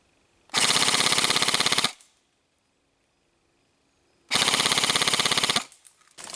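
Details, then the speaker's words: Krytac LMG Enhanced airsoft gun, downgraded from about 400 to 345 fps, full-auto on LiPo: two crisp bursts of rapid, even clicking, each over a second, with clean stops; healthy high-rate gearbox cycling. "All firing tests will be done in full-auto FPS wise, we're at 345fps"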